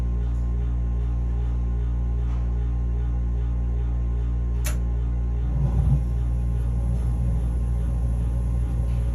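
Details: Furnace giving a steady deep hum with low rough grinding edge, cause unknown; capacitor tests OK.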